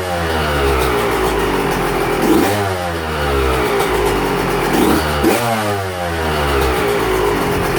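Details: 125 two-stroke, first fire-up with choke on after top-end work, to be run through a heat cycle; crisp buzz climbing cleanly through two quick revs and settling back, firing evenly with no rattle, less smoke than expected.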